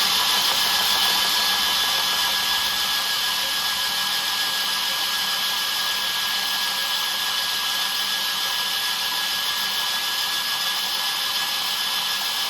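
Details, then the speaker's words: 2007 3.7 Vortec/Atlas engine before swap into a 2006 Colorado, cranked with plugs out after a new oil pump, just over 50 psi oil pressure; steady, even starter whir, no binding or scraping; normal cranking. "This is why we keep the plugs out so we can crank it. Make sure we've got good lubrication coming up."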